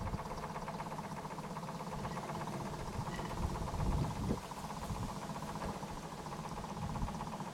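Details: Model steam boat Edith after hull rebuild, steaming in the bath with front hatch removed so the gas burner gets air: steady, even low chuffing without stumbles or knocks; small steam engine running smoothly and healthy.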